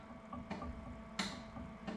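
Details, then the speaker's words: Series 8 printer commissioning, viscometer solenoid valve tested: three crisp clicks about 0.7 s apart over a quiet hum; solenoid pulling in and releasing cleanly, all valves pass. "good and then the add make up valve and again Goods clicking from each one of those so it's tested each of the solenoids"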